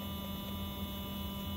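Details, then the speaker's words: Athearn Genesis MP15 locomotive rebuilt with Mashima motor and NCE decoder, run clamped on the bench at about 12 volts: quiet, steady hum with fine even tones, sounding smoother than before, drawing around 0.05–0.06 amps. "it should be even louder than it was but actually it sounds smoother I don't know if that I don't know if you can pick up to me this sounds way smoother"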